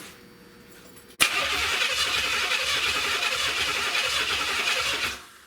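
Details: 1970 Buick Wildcat 455 V8 on its first start attempt: the starter spins steadily for about four seconds with no firing or catch, crank but no spark.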